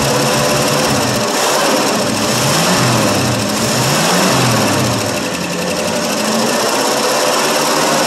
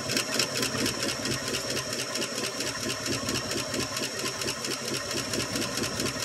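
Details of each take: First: 1965 Ford Fairlane 500, 289 V8 with a three-speed column-shift manual and overdrive, cold start after sitting for years, fed from a bottle with no gas tank; loud, busy rumble holding steady, no knocks or misses: normal running. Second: 1965 Ford Fairlane 500, 289 V8, unstarted for 2.5–3 years, cold start running on fuel poured into the carb bowl with no tank. Fast, light tapping at about two per second over the idle: lifters clattering until oil pressure comes up.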